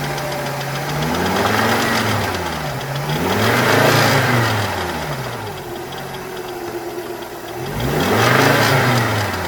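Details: 1995 Volvo 850 2.4 petrol engine revved up and down, deep knock following engine speed: rod knock on cylinder 3, bearing shell had twisted 90 degrees.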